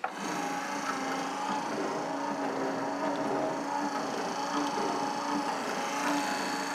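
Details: Refurbished wiper motor and wheel boxes installed, with a 1-inch grommet in place of an oversized seal. Busy mechanical whirring and light clatter run steadily throughout; the wiper drive works but is noticeably noisy.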